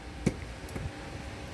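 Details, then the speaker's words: Konzert AV-502B amplifier that hummed with no sound, after cleaning and replacing a capacitor: a single crisp click just after power-on over a faint hum as the speaker protection relay engages normally. "Ayan guys chinik ko na. Ayan gumana agad ang rel eh."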